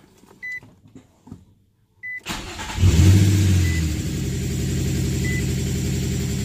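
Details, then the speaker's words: Nissan VQ35DE (G35/350Z) cold first start after cleaning, before throttle body relearn: cranks, catches, settles to a fast even high idle; owner's stalling issue (idle drops to 650) normally appears only when fully warm. "and the idol is really high now the car is not warmed up yet"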